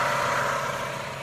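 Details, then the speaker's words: 1996 Toyota Camry 2.2 L four-cylinder, 305,000 miles, idling after distributor with integrated camshaft position sensor replaced for crank-no-start P0340: check engine light off, smooth even quiet idle, rattling and shaking gone; normal idle. "engine is running no check engine light on so that solved the problem with the uh crankshaft posion sensor because the light was on and the the car is actually running smoother than it was before it was a lot of rattling and shaking nice and quiet"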